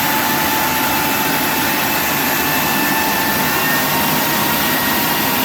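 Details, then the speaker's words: Big Joe Tool ShopSmith Mark V model 500 clone after replacing a narrow, worn drive belt: steady, even motor roar with a constant unwavering whine at full speed, slightly faster than with the old belt; normal running. "Me liking that little bit of difference. You hear it there where I actually got more speed out of it because the belt wasn't as worn."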